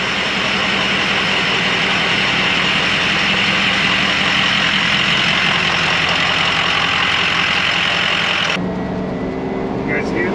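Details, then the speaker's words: Diesel truck started right after a new tune, long crank then stumbling uneven idle with hollow beat, no power even at full throttle; suspected bad HPOP, not enough high-pressure oil to inject properly; rough idle from low injection control pressure. "you can hear it's not properly injecting fuel because it's not doesn't have enough High Press oil"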